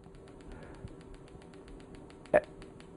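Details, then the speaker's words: PEMF 120 device, intensity being turned up: fast, regular sharp clicks about seven per second over a faint steady tone; clicking settles, felt as knocking in the hand; normal discharge pulses. "you can hear how that clicking settles down I haven't initiated any contractions in my hand but I can feel it like knocking in my hand now"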